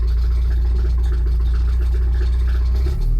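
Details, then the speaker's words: Porsche 944 automatic revived after 20 years in a hedge, first drive: low heavy uneven clatter about two knocks a second from the bell housing under the driver; owner suspects flywheel, unconfirmed. "All right, that noise is getting really bad. Sounds like it's right underneath me. It's got to be the flywheel."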